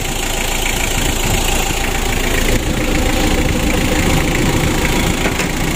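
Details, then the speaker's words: Freshly overhauled and reassembled Mitsubishi L300 diesel (2017) at first start after rebuild: steady, even diesel clatter at idle, no odd knocks; oil warning light off, oil rising to the top, compression good, no compression leaks, engine sounds good and safe. "Alhamdulillah untuk mesin L300 nya ini sudah kita hidupkan bosku untuk suaranya juga bagus semuanya aman ya"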